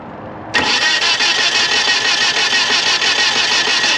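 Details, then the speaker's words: 1997 Nissan Altima, crank no start, while holding gas pedal about 15 seconds to clear flooding: starter spins steadily over three seconds, never fires; ended up needing new distributor, spark plugs and wires. "So, all I did there was hold the uh gas pedal for about 15 seconds, allow the gas to flow back into the system, so that way it's not flooded. Um I was hoping it would just crank over cuz that would be a simple fix, right?"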